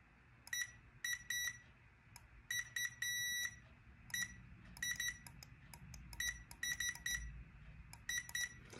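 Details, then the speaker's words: Safe Flight lift detector (stall warning) switch on a multimeter continuity test between common and normally-open: the vane clicks, but the meter beep cuts in and out unless the vane is pressed fully down. It is unclear whether the switch is defective. "the problem is if i press the vane you can hear it click but i get intermittent connectivity unless i go all the way down so there's definitely something going on with this"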